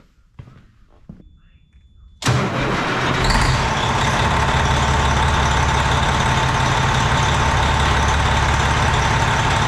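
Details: Semi truck diesel after valve-train work (rockers and stem buttons checked, torqued, injectors left in, valve cover off): cranks and catches into a steady, even idle clatter with no miss; runs clean on all cylinders.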